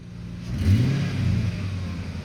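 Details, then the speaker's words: 2003 Mercury Grand Marquis LS V8 with throttle body and K&N intake, bought with an intake manifold leak: deep, throaty blip rising and easing back smoothly with intake suction noise, no misfire or stumble; engine revs cleanly and runs smooth. "Nice and throaty, not so loud it's pissing off the neighbors at 5 o'clock in the morning when I head to work. Gets you better sound here. That throttle body and that K&N make that nice suction noise."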